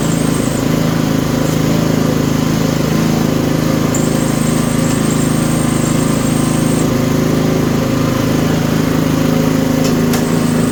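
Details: Toro 724 OE snowblower (1000 Series, 7 hp, 24-inch clearing path) in for service: even, steady single-cylinder drone with no misses or knocks, small engine running smoothly and healthy.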